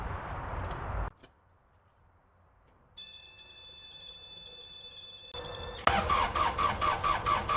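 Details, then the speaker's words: Case 1835C diesel with a newly installed injection pump, cranked with the fuel tank valve left closed and the battery getting weak: starter churns at a steady two beats a second but never catches because no fuel reaches it. "No fuel yet. Oh, it's because I don't have the tank is off. That'll help. I knew I was gonna forget the fuel valve."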